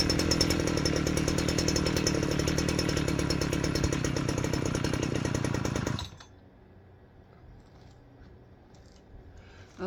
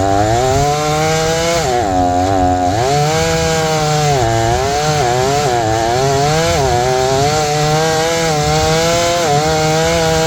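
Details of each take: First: Old Jonsered 630 two-stroke chainsaw first run after repair: revs hard and buzzy with slightly uneven beat, then cuts out; still needs carburetor tuning. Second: Repaired old Jonsered 630 chainsaw with 30-inch bar and aggressive full-house chain cutting wood: high two-stroke note dips and recovers, holds strong revs; owner suspects clutch-side crankcase seal needs replacing.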